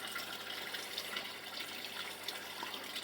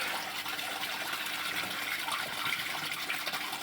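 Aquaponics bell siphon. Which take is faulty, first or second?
first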